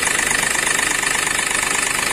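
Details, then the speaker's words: Accident-damaged Hyundai Xcent with broken intake manifold and rail pressure sensor, code P0193, stalls after 10-12 seconds: rough idle with a fast, harsh knock; fuel rail pressure sensor circuit high from damaged sensor wiring. "तो इसको चालू करके आप लोगो आवाज़ सुनते हैं कितना danger आवाज"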